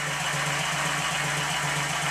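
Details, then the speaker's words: Model "Minnie"-type traction engine test-run on compressed air despite excessive crankshaft side play: quick, regular chuffing beat at steady speed with light normal gear rattle, running sweetly. "however even in this state it runs very well I'll stop talking again so you can have a listen"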